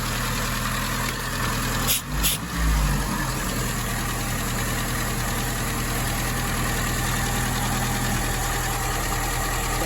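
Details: 1961 Triumph TR3A after carburetor work, twin carbs being balanced with airflow gauge and idle raised slightly on one: steady even low idle, smooth beat, no knocks or misses; runs cleanly.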